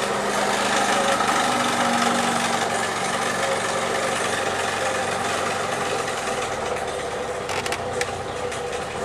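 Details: Four-cylinder engine at idle after timing chain and valve adjustment per service manual, compression now more even and exhaust note better: fairly even light tapping around three per second on top; abnormal top-end noise, cause unclear.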